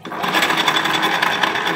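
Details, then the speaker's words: Honda Beat FI motorcycle CVT, wheel spun by hand: steady gritty "grok grok" whirring rattle, wheel feels very wobbly, smooth with sliding fitted; mechanic suspects worn pulley shaft bearing, not yet opened; rough rotation noise. "tapi kalau rodanya diputar suaranya kasar grok grok tuh"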